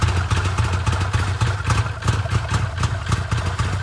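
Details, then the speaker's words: Arctic Cat Wildcat 1000/X side-by-side, first start-up after starter gear upgrade and reassembly: uneven, lumpy, choppy idle with irregular pulses and some clatter over a low rumble; starter seems quieter; rough idle, cause not stated. "You can hear the choppy idle on this thing."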